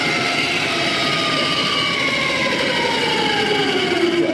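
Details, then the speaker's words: Off-road "Banana" truck with a heavy-duty competition transfer case: a loud, piercing multi-tone whine from the straight-cut comp gears, falling in pitch as it slows; too noisy for the truck. "it's just like gravel in a cement mixer like if that's all you've got in there gravel it's like that and then soldering iron is being jabbed into your ears"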